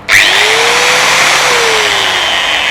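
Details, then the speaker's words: Bosch GWS060 angle grinder after repair, which had been weak and cutting in and out with an armature-short-like noise: spins up cleanly to a steady, smooth high whine; cause was dirty carbon brush holders, which were cleaned, and it now runs normally. "โอเคนะครับตอนนี้ก็เครื่องกลับมาทำงานได้เป็นปกติแล้วนะนะครับกับบอสGWS060เนาะ"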